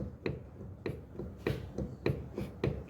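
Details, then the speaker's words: Fiat Argo suspension rocked by hand: sharp snapping clicks with each push, from the shock absorber. "É amortecedor, sim. Ó, sei se vou conseguir fazer com uma mão, ó. Repara que vai mexer aqui, ó. Ó o barulho."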